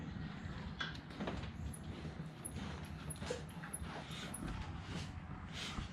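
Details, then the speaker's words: Honda Pioneer UTV reassembled and torqued to spec; short high-pitched chirps with every bump over steady road rumble; owner suspects a squeaking front shock, not overtightening. "this front shock is squeaking pretty bad I thought at first it was because I over tightened everything and I didn't it's it's just squeaking"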